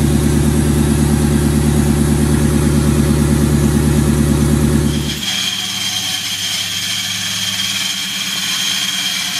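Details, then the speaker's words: Ford Mustang V8 idling after the timing chains were replaced; smooth, even low rumble, no rubbing or scraping. "so it runs really smooth now sounds really good"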